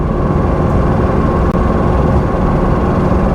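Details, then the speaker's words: Porsche 912 blind auction purchase, first proper drive around 70: heavy steady low drone, bouncing, rattling and noisy under throttle, source unclear; loud noise under throttle, cause not confirmed. "it's bouncing along it's rattling it's noisy it's smelly it's it's actually all the things that i love about an old car um but that noise isn't great"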